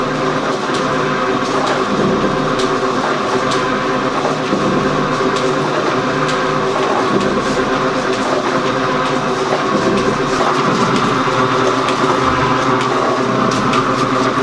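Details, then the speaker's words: Gould & Eberhardt 24-inch heavy-duty metal shaper, test run: a quiet, even mechanical whir with a light regular slap from the flat belt, which makes most of the noise, and no knocks; runs healthy. "Alright, so now we're going to start it up. Machine runs really quiet. Most noise comes from the belt."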